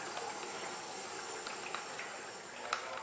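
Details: 2004 Honda Civic (compression 80, 60, 125, 175) leak-down test, cylinder one on compression stroke: steady, even hiss of compressed air escaping the cylinder, pointing to a blown head gasket.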